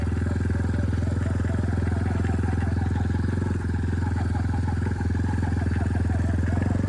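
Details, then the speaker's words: Big red lifted vehicle on a test ride before repair, needing all bearings, U-joint, fork rebuild and front-end correction: uneven clack about three times a second over a steady single-cylinder drone, steers like a tank; suspected loose front-end or steering parts, not confirmed. "My God, this thing steers like a tank. Clunk clunk. Or clunk clunk."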